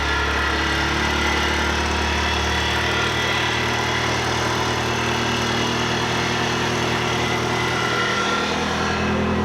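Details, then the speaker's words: Blue Nissan truck with cheap turbo, back from the boneyard after over a year: steady idle with thin constant high squeal from a junk idler pulley bearing, which had been seized and not turning, hot. "you shut off that pul bear this bearing's junk that's what squealing is this bearing"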